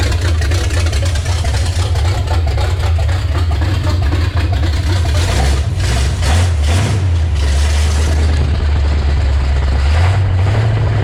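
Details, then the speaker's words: Chevrolet C10 with a revived 350 V8 swapped in over the old 327, first start in six years: deep, steady rumble with an even beat and clean revs, no knocks or misses. Runs healthy, though an oil leak at the valve cover remains. "I think sounds great runs awesome"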